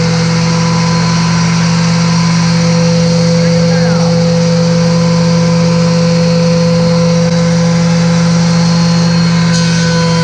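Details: Delta planer reassembled after sharpening its thin, quickly dulling blades in a shop-made fixture; part one found the cutterhead not parallel to the flexible platen base: steady motor hum with constant high cutterhead whine, smooth and even. The planer is running normally.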